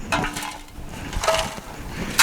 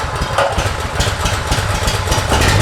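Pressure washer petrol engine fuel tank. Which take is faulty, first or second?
first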